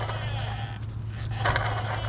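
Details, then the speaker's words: Mercedes ML55 water pump, belt off, pulley spun by hand: a gritty, scraping metallic rumble instead of the free, quiet spin a new pump gives. The worn bearing was making noise; the pump is being replaced. "I told you that it was making noise, the water pump, and we need to replace it. And so I went ahead and spun this wheel, and this will give you a good idea of what it sounds like."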